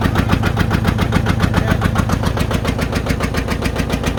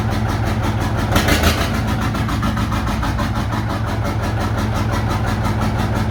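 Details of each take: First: John Deere 830 Industrial two-cylinder diesel, first start in at least 20 years after water pump repair and fuel bleeding: slow heavy uneven thumping about three or four beats a second, number one cylinder not firing; later smoothed out. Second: John Deere 830 Industrial two-cylinder diesel, after about 20 minutes running, in high gear with brake applied and clutch released: low steady thump pulling evenly under load, brief rises, both cylinders firing cleanly.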